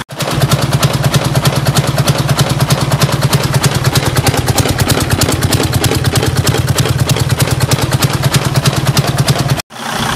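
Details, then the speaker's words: Freightliner Cascadia DD15 diesel after cam housing and timing repair: steady, even idle at about three pulses a second with no knocks or ticks; engine sounds healthy, better than before. "you can hear the engine it is better than before right"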